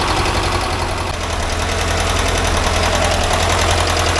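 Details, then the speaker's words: 1982 air-cooled VW Vanagon Westfalia engine after valve adjustment, warm idle once oil and ignition lights went out: light, quick tapping about two and a half per second; normal valve noise, one side noisier than the other. "I can hear the valves here going, so that's alright. That's normal noise."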